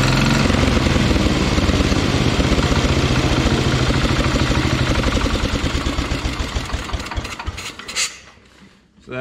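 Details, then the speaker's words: Minneapolis Moline 114 garden tractor with a Kohler 14 HP single-cylinder engine runs with a rough, rapping knock from the top end, then shuts down; the cover was checked and is not hitting. The owner thinks the engine is simply worn. "that confirms you can hear it kind of knocking up here in the top end so just wanted to make sure that it wasn't something hitting that cover"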